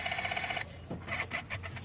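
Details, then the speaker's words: Mitsubishi Lancer with an unstable idle, which should hold 800–900 rpm: the idle servo is plugged in and its terminal grounded before replacement, giving a brief whir of gears that turn slightly and then stop with a light rasp; the servo gears are intact. "So ano to, buo pa yung servo niya. Ayan mga bossing, yan yung tunog na buo mga bossing."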